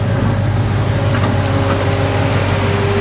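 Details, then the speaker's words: Chevy Avalanche (hail damaged) with a V8 thought to be a 5.3, started after a dead 7.9 V battery, alternator now charging 14 V, AC running; smooth even low rumble at idle, no knocks or misses, purring nicely. Check engine light on. "Okay, this sounds nice."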